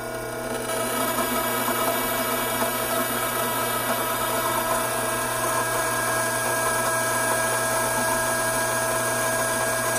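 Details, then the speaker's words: Hydraulic pump at normal operating temperature and about 310 psi with an inlet restriction added: the steady whine turns rough and agitated with a gravelly crackle as vapor cavities collapse; inlet cavitation. "note of the change in sound that the pump is now making this agitated sound is created by those now vapor fill cavities making their way to the discharge side of the pump"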